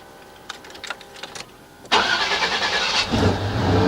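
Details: 1989 Chevy K1500 Silverado with Denso starter: brief quick crank with a non-Chevy, import-like starter sound, engine fires at once and settles to a steady idle. Normal cranking and start.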